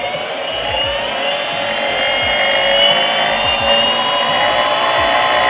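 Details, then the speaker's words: Boosted Board V2 Dual+ electric skateboard, mic on one wheel: spinning hub motor gives high whirring with rough rattling grind about four times a second, unlike the smooth working wheel; faulty hub motor, later swapped. "if you notice you can kind of hear a bit of a rattling or grinding on this wheel on this side"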